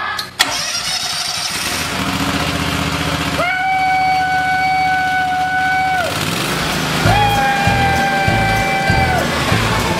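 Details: Kawasaki small engine after fixing a moved valve guide: catches quickly and runs steady and even without knocks or ticks, music over it; residual oil smoke expected to burn off.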